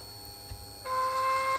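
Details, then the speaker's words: 2009 Harley-Davidson Sportster XL1200 Nightster that turns over but won't start: after swapping the system and starter relays, key-on gives a short steady fuel pump hum under a second; normal priming, owner concludes a relay is bad. "the fuel pump primed all right so confidence is high confidence is high that I have a bad relay"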